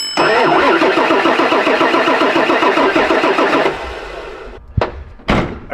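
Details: 1999 Ford F-450 7.3L Powerstroke diesel that sat for years, no tach signal, crank sensor swapped for a used one: fast, even starter churning for about three and a half seconds, then stops; cranks but never catches, still no tach signal.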